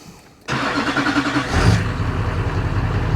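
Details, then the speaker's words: 2004 GMC 3500 Duramax diesel started after bleeding the fuel system by pumping: brief crank, then catches cleanly into a steady, even idle with no stumble or misfire; healthy start. "okay guys so I uh pumped it a few more times I cleaned up the area so we don't burn the truck down it should just start"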